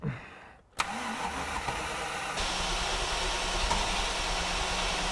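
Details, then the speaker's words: Engine cranks steadily with a brief catch after ignition on but never runs; seems to have a little spark and fuel is confirmed flowing, cause puzzling; crank no-start. "It sounds like it's got a little bit of a spark. But I don't know. Obviously, we know the fuel's flowing. That's really quite puzzling."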